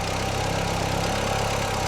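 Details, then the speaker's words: 2000 Audi TT Quattro just restarted after sitting, getting slightly better: loud steady idle with a slightly lumpy, uneven pulse, no sharp knock; rough idle, owner hopes it is old bad gas running through. "It's just that old gas. As you can hear, the Audi is having some issues. Hopefully, it's the bad gas."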